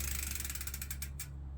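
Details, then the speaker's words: Trek Verve+ e-bike, replacement rear wheel with a six-pawl freehub, coasting: fast, even metallic clicking that slows as the wheel spins down; loud but normal freehub ratchet heard only when coasting. "uh you only hear that noise when you're coasting so it shouldn't be an issue"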